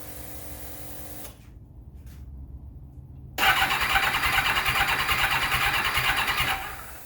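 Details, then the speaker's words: 1991 Kawasaki ZXR750 turbo build with an aftermarket ECU and bigger injectors, first start attempt: quick steady starter churning with no catch; cranks without starting because there is no spark. "basically the Box not starting I'll go back check if it's got spark check if it's got power to the injectors make sure we got fuel happening see what's going on I've had a quick look basically it doesn't appear that we have any spark"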